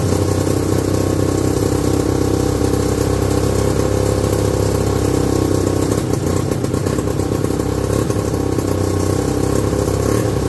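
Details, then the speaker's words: 1969/70 Sears snowmobile, single-cylinder Kohler two-stroke, sat outside a year, first run after revival: steady high buzzy drone, thin hard edge, little low-end body; owner says it's sucking air, running lean. "yeah we're sucking air there so she's running lean this is being open so yeah a pretty good first run"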